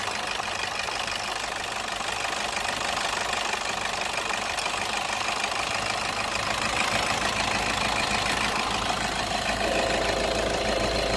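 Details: Toyota petrol engine in an AC compressor clutch magnet replacement job: even idle with a light steady ticking and no surging or knocking; a healthy, settled idle.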